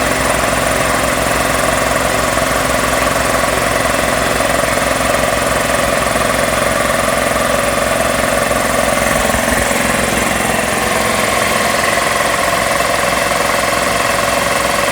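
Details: Magna Force air compressor after repairs with a new start capacitor and new filter; a known air leak remains. Steady, even motor-and-pump drone with a regular thump about 160 a minute, no stalling or straining: running normally.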